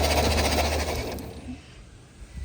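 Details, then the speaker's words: Holden HQ one-tonner off the road 29 years, ignition fed by a temporary supply because the ignition switch is broken, plugs not yet fitted. Rapid crackling snaps as sparks jump from the old spark plug leads. "but you can hear the spark from all the old spark plug Glades jumping around the joint so"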